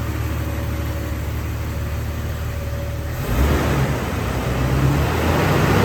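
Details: Warm 2000 Jeep Wrangler TJ Sahara, stock, automatic, 122k miles, just driven: even idle hum building cleanly into a smooth rev with no knocks, misses or rattles; healthy engine.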